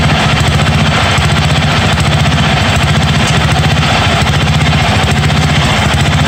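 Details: 1982 John Deere 108 mower, first start: loud, uneven single-cylinder thump at fast idle with a lumpy, hunting beat. Jet adjustments did not help; owner says the carburetor is faulty and needs replacing.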